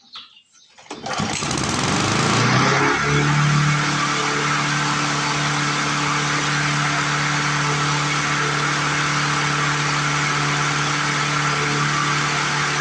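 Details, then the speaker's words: 1997 Lawn Chief 3.75 hp 20-inch push mower: engine catches and climbs to a high steady scream far above normal speed, no governor control. "That just seems way too high to me. Seems way too high. Not liking it."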